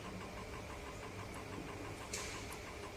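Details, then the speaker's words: Argus SCM3000 scanner at power-up after key on, run and scan buttons, recovering and self-checking for about a minute: faint, steady mechanical whirring with light, even ticking and no grinding; a normal self-check. "Then you can press scan button. Now the scanner is recovery and checking itself. You need to wait about 1 minute."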